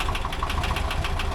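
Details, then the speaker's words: 1985 BMW 635CSi at steady idle: sharp, regular tick about six or seven times a second from the valves; a couple of valve adjuster screws are bad, new valve parts ordered. "ticking nuts from the valves and I've got new valve things coming like not just the uh adjuster screws a couple of them are bad there we go looks pretty good anyhow"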